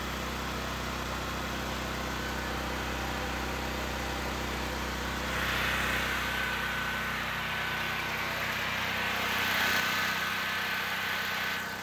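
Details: Generac GP6500 generator with the faulty CO-Sense module disconnected after it would start but not stay running: a steady, constant drone at fixed speed with no hunting or stalling; it runs normally but now can't be shut off.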